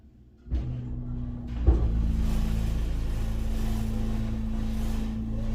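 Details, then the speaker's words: Hydraulic elevator (originally Burlington, possibly Mainco, Epco CircleLine fixtures, serving LL/ML/UL) heard from inside the cab: the pump starts with a thump, then a loud, rough, steady low drone and hum while travelling up. It sounds worse than it used to: abnormal running noise. "It sounds worse than it used to. Ooh, that's not good."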